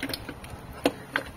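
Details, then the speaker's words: Chevrolet Celta 2006 gearbox during replacement of the gear shift linkage (trambulador) kit to cure shifter play and hard second-gear engagement: a few crisp, light clicks as the lever moves through the gates; normal selector detent clicks. "Ó você tem que escutar esse barulhinho significa que as marchas ó estão todas engatando"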